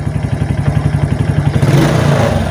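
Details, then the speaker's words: Late-model Suzuki Titan that would stall or stutter when revved with a weak battery, now on a new battery: steady idle then smooth clean revving to high rpm; rectifier suspected if stuttering returns with battery disconnected. "Tes gas berhati teman teman-teman ya bertin tangan saya saat ngegas ya jadi enggak ada suara deg deg deg deg deg jadi kayak telah minyak ya kayak motor itu enggak mau jalan sama"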